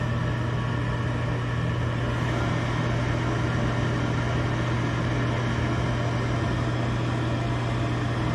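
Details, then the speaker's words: Gas furnace at first start-up on the new control board: the draft inducer motor spins up smoothly with a steady, even low hum and no rattle or scrape; a healthy inducer, normal operation. "There it goes. The light's coming on the board. There goes the draft motor. Draft inducer."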